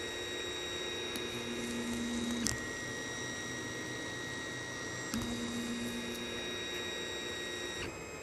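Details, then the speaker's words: 3D printer during bed calibration, after the nozzle was moved a few steps away from a too-tight bed: stepper motors sing steady tones and the extruder no longer clicks, printing normally. "so now it's not clicking and that looks pretty spanky to me"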